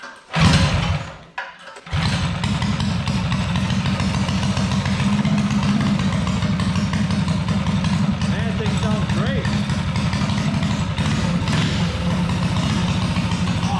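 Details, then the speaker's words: Tillotson 212cc engine with Stage 2 performance kit, ARC billet flywheel and cone air filter, first pull-start after the build: steady low, lumpy idle with deep even thump; sounds much better than stock, healthy. "Oh, that sounds amazing. Yeah, it sounds good. Dude, that thing sounds so much better now. Wow, it doesn't even sound like the same motor."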